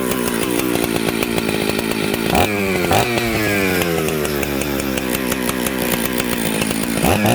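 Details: Mixmaster chainsaw built from Jonsered 630 Super and Husqvarna 266 parts: smoky, burbling and stumbling coming off idle. It is running rich, so the low jet is turned in to lean it.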